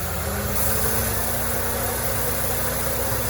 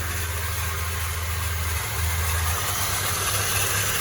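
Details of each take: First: Peugeot Partner idling smoothly and evenly with a steady low hum, no whir, chirp or rumble from the belt side, after the tensioner and pulley bearings found faulty were replaced along with the timing belt; normal idle. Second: Peugeot Partner at steady idle after an oil change: a faint whirring rumble under the engine note, quieter than before, from worn timing belt tensioner and idler bearings; noise persists with the fan belt removed; timing belt to be replaced since its age is unknown.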